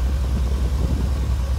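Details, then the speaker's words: 2500HD 6.0 V8 with over 300,000 miles, after Marvel Mystery Oil and about a half mile of driving: steady low idle rumble with no lifter ticking, quiet. The fix is a temporary band-aid. "and as you can see, nothing, quiet, no noise."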